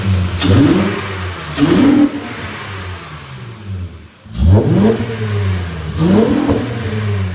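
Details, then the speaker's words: 2008 Acura MDX after fitting 100,000-mile spark plugs, with a less restrictive intake pipe and 1-inch spacer: catches quickly, revs crisply in several blips and settles to a smooth, even idle; runs better than before. "Praise God, this thing sounds so good. It is running so much better than before. It has a nice crisp throttle response, and the exhaust sound did change just slightly."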